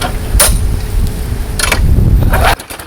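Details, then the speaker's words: Craftsman 22-inch side-discharge push mower, small engine revived, primed twice after reassembly: putters at low fairly steady beat for a couple of seconds before cutting out, reported running really well; normal running. "running really well. I'm going to try and adjust the throttle somehow."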